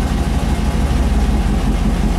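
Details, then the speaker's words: 5.3 V8 turbo swap in a Mustang after idle fine-tuning. The idle air control had been pushed shut and the factory idle screw is seized. Now a deep, steady, smooth low idle with an even pulse and no ticking or exhaust puffing. "It'll idle nice and low."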